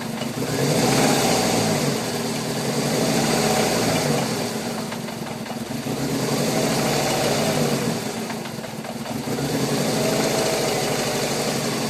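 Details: VW Golf 4 1.6 16v (BCB engine) revving up and down: fairly regular knocking tap, about four per second, following the revs; cause unclear; engine knock.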